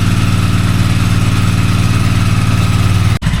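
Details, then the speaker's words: 2001 Polaris Sportsman 400 ATV during restoration, after oil change, valve-gap adjustment, pull-start and Bendix spring repair, started on choke with idle being adjusted. Steady, even low putter with regular firing and no knocks or misses: clean, normal idle. "Sorry guys, battery died there. So, as you can hear, just adjust the idle a little bit. Everything's working."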